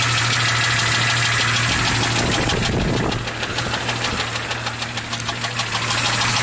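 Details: 1996 Jeep XJ Cherokee 4.0 L inline-six, 200k miles: loud, steady knock about three times a second, loudest near the rear driver's side, much louder when revving, no power loss. It worsened after adding Valve Medic and Lucas oil stabilizer. Mechanics say it is not an exhaust leak.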